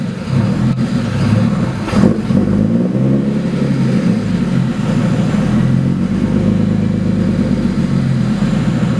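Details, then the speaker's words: 2008 BMW 135i single-turbo (752whp), codes returning after clearing: idle wanders up and down, a hunting jumpy idle; owner suspects adaptations needing reset after throttle body change. "this is this is exactly what was doing before the jumpy idol"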